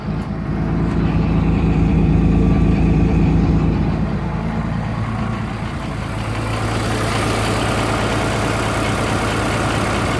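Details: 2003 Cummins, 176k miles, stock injectors, Smarty Touch level 5, warm on a 60+ degree day: stuck high idle with fast, fairly regular lope about three pulses a second, cut by exhaust brake; owner suspects bad injector.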